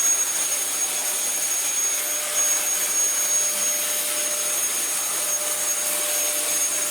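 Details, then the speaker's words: Dyson vacuum after its suction release valve was reset: a steady high-pitched motor whine with even airflow and no surging or rattles. It runs normally, though the brush roll is slightly dodgy. "Marvellous. Bar the slightly dodgy brush roll, that works alright."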